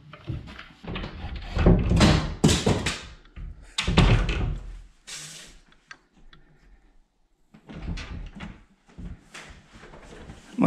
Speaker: better I'll do that no squeak at all both hinges working just fine